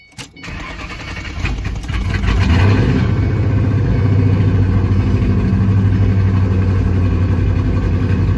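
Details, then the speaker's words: 2008 Ford Mustang GT V8 starting after new fuel injectors and plugs, fuel pump primed; cranks, then idles with uneven chugging that stumbles, misfire still present. Later traced to a vacuum leak from a cracked cold air intake at the PCV tube. "so my car was still chugging right so you guys seen that it was still weird"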